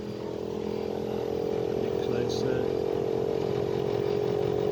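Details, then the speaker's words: Bosch Climate 5000 split air conditioner, about three years old, on heat setting at startup, heard at the outdoor inverter unit: a loud steady droning hum slowly builds. Compressor suspected, not the fan. "you know a bit of a noise building up now it's not the fan I I would say it's the compressor pump getting a bit noisier now"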